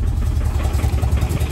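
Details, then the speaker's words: Audi A4 converted to an ALH 1.9 TDI diesel, running after the swap: deep, slow, uneven chug. The idle is still too low after one adjustment of the idle screw, so it needs turning up further. "yeah it's still a bit low be like right be like right here for the idle so I'm going to go adjust that"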